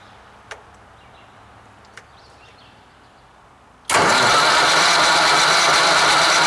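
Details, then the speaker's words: 1959 Caterpillar D337F diesel genset, removed from a hospital and stored in a barn 10 to 12 years, first start attempt. After a few quiet seconds it catches at once and settles to a strong, steady run, no misses or knocks: normal start and idle. "well damn it's like it was never even shut down now that's impressive"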